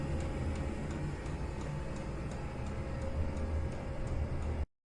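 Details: Chinese mini diesel air heater running in a garage, exhaust piped through a homemade heat exchanger: crisp, even fuel dosing pump ticks about two or three a second over a low steady hum; normal operation.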